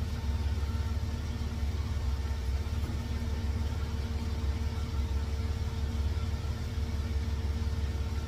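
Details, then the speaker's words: 1954 GMC COE engine idling smoothly and evenly with a steady exhaust beat and no misses, after the timing was set to 8 degrees and new spark plugs gapped to .060 were fitted; normal idle and throttle response. "the RPMs I like I like where that sounds so let's try the throttle response yep I'll go with that"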